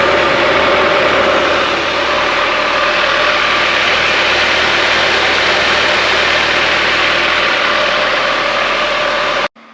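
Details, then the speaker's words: Kawasaki ZZR1400 after coolant change, idling at 98 degrees: steady even engine run with fan rush underneath as cooling fans run; reservoir still full, no leaks, healthy. "I'm not sure if you guys could hear that over the engine, but the fans did kick in that time. We got up to 98 degrees."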